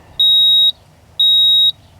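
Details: 1987 Ford F-150 inline-six that ran rough after warm-up on a cold morning: two clean high beeps about a second apart over quiet background; code reader pulsing out stored trouble codes.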